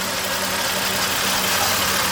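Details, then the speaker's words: 1997 Toyota 4Runner, 5VZ-FE V6, 270,000 miles, idling: uneven lumpy idle with audible one-cylinder hesitation and heavy engine shake; code P0304, cylinder 4 misfire. "so I have started it up hopefully you can hear the hesitation it's only for one cylinder there's even audible hesitation in that RPM when it idles"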